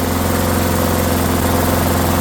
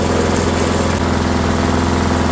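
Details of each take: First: Discarded Rally lawnmower single-cylinder engine just after first start, unloaded, smoking off: steady fast even buzz with little vibration; idle sounds set too high, throttle to be adjusted to slow. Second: Discarded Rally lawnmower started, smoking off: steady, even single-cylinder putter with a firm low thump, no knocks and little vibration, though idle seems a little fast before adjustment.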